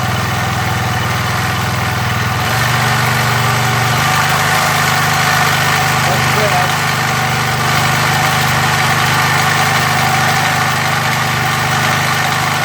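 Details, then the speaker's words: MTD edger with a 3.5 hp Briggs engine that had been sitting and would not run, first start after repair with the idle adjustment screw refitted. The small single runs steady and its pitch steps up cleanly with revs, no surging or dying. Running properly. "good. I'd say that's good, guys."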